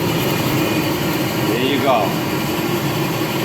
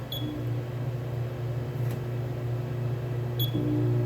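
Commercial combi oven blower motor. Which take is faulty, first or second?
second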